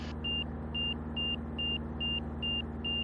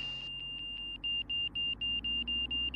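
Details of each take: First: Van's RV-6 with a Garmin G3X Touch EFIS, on approach with flaps down, prop full in, banking into a turn: a high, clean angle-of-attack warning beep repeats about twice a second, faster than before, over a low engine drone. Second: Van's RV-6 with Garmin G3X Touch angle-of-attack audio, power pulled back, slowing to the stall: steady high tone breaks into quick beeps, roughly four a second, as the wing reaches the stall.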